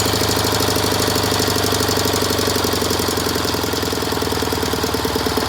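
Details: 1967 K750 motorcycle with normal pull, on 92 petrol, valve lash once in spec but camshaft bushings worn: steady dull thudding at about three knocks a second as revs rise, heard near the air filter; cause not identified.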